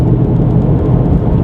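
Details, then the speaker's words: VW Golf driving at speed on the street: steady, rough low rumble from both worn front wheel bearings grinding, driver and passenger sides, both needing replacement. "those are the wheel bearings on the car both of them need to be changed because the wheels aren't spinning properly as they should it'll still drive up and down the street normally but as you can tell it makes a decent amount of noise"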